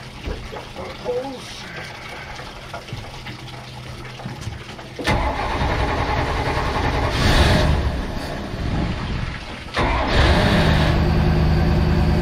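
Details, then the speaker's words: Port engine of a project boat at its first start, sounding good; the starboard engine suspected of a rod knock or lifter. Cranks and catches in about five seconds, then settles into an even, steady beat with no tapping or knock. "This one sounds pretty good."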